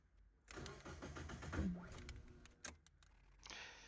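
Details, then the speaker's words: Mazda MX-5 on a Speeduino ECU, first start attempts: uneven cranking with irregular clunks for about two seconds, then a hiss; owner suspects starter gear not retracting quickly enough; later it started with no tune changes. "As you could hear it made weird noises, clunky noise like when the starter motor doesn't pull back the spinning gear quick enough."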